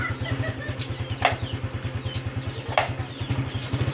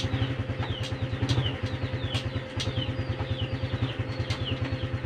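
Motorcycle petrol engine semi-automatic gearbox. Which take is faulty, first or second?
first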